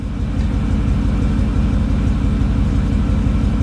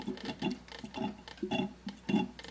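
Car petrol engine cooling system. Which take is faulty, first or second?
second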